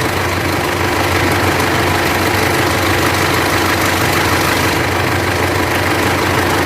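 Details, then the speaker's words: Mitsubishi L200 Triton 3.2 diesel, idling with the A/C off before repair, no dash warning lights: a busy metallic rattle over the steady clatter at the front of the engine; worn timing chain, to be replaced. "eu nem tava rodando ela normal só o barulho do motor ó o barulho da corrente parou francês"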